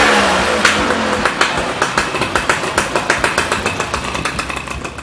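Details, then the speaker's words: Yamaha Y110SS two-stroke motorcycle after repair of unstable idle caused by worn cylinder and blocked carburetor, carburetor cleaned: crisp popping exhaust beats about three or four a second, settling evenly after a blip; normal steady idle. "Okay, now this motorcycle has been repaired. Its problem is caused by the wear of the cylinder and the blockage of the carburetor."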